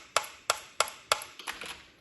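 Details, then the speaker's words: Old computer mouse that no longer works at all, giving four sharp, loud, ringing clicks about three per second, then softer taps. The button clicks harshly; cause unknown. "mouse-ul ăsta nu mai merge deloc și uitați-vă cum se aude. Adică mi se aude tastatura asta așa."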